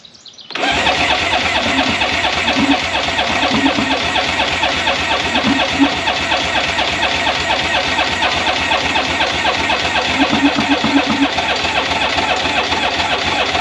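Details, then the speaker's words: 2001 Polaris Virage 700 jetski, fresh gas poured into the carb and a weak battery, cranks steadily for over 12 seconds without firing; fuel is present, but spark and compression are unconfirmed. "I thought it would fire up well no no I got a question do we have spark because I know we got fuel I hope we don't got compression well there's that too"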